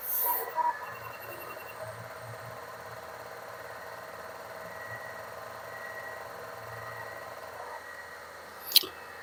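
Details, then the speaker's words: Atari Megafile 60 hard drive (UK 220-240 V, bought as described working), first power-on: quiet steady high whine with faint hum, no scraping, heads not catching; normal hard drive spin. "the hard dis doesn't sound rough doesn't sound like the heads are catching so far I think this is okay"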